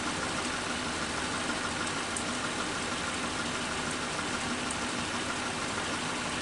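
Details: Suzuki Katana carburetor engine after cleaning with carb cleaner and idle mixture screw adjustment (turned in until rpm drops, then backed out 3/4 turn): steady, even idle around 750 rpm with no miss, hunt or knock; normal idle.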